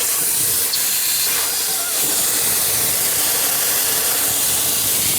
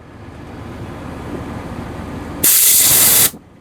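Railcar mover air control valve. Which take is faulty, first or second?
first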